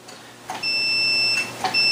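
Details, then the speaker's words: Continuity beep from a multimeter on continuity setting: a clear, high, steady beep each time an arcade joystick leaf/Cherry-style switch is pressed, about two presses; the closed switch contacts are making connection. "you hear you guys hear that beat that means that we're getting connection now"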